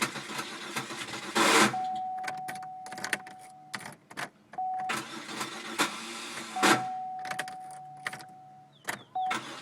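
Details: 2001 Chevy Malibu 3.1L V6, 122,000 miles, after intake gasket job and stalling: chimes, cranking, then idle with heavy regular knock about three a second; teardown found a disintegrated piston wedged in the crank and a broken valve head.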